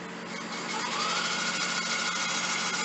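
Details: Electric bike hub motor, battery about a third charged: whine rises in pitch as the wheel spins up, then holds a steady hum; slight rubbing from an unadjusted brake.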